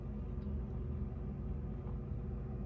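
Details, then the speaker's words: Samsung RF26HFENDSR/AA refrigerator after melting ice buildup from the evaporator area and reconnecting fan wires: low, smooth, even hum with no ticking or scraping; evaporator fan spinning freely and running properly again. "You can hear the fans, the sound of the fan. The fan is working properly."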